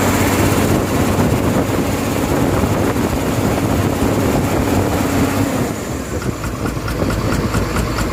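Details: Komatsu excavator diesel engine with abnormal sound and smoke: loud, rough running with uneven clatter and no steady rhythm, cause not pinned down; abnormal engine noise.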